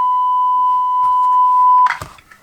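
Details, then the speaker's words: Hallicrafters S-20R receiver speaker: a clean, steady 1 kHz test tone for about two seconds, then handling clicks, with leads clipped directly onto the voice coil windings; earlier silence through the output transformer pointed to a bad internal speaker connection. "But if I actually just disconnect my test leads from this point, and you can actually see that there's some more clip-on points here where the actual windings go into the voice coil of the speaker. I've actually got some audio"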